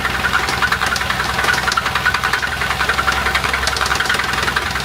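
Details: Nissan Altima SE-R engine with oil on the front valve cover, running rough with a sharp, fairly steady knock about three to four times a second over idle, smoking and smelling like a two-stroke; rod knock from a spun rod bearing, engine needs replacing.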